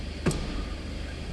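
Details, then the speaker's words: Raspberry Pi DIY head unit with a backup-camera relay board wired to the car's reverse wire. A single sharp click as the relay pulls in when reverse is selected, and it clicks off on leaving reverse; the wiring is working correctly. "And that kicked on the relay. You can even hear it click. And now I'm out of reverse and the relay clicked back off."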